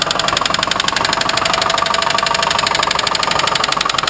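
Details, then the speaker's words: 1990 Mustang LX with good oil pressure, new alternator, tensioner and belt: fast, even metallic knocking, roughly a dozen taps a second over the idle; engine knock, source unknown, bottom end or top end. "yeah she's knocking like the po-po after you you know but she is fixable"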